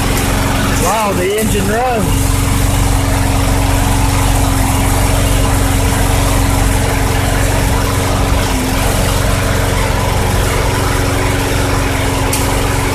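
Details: 2006 Craftsman 917.376160 push mower, tank nearly bone dry, running after carb cleaner was sprayed in: a steady, even single-cylinder drone at one speed with no misses or knocks, so it runs healthy.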